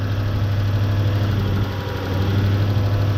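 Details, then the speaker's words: 1UZ-FE V8 Toyota Hilux after swapping in a working ignition coil (was running on 4 cylinders): smooth, even idle with more twang, less flat; all eight cylinders firing, normal idle. "Oh, that's got a bit more of a twang to it, hasn't it? It's got a bit more noise. Doesn't quite sound quite as flat. That sounds much better."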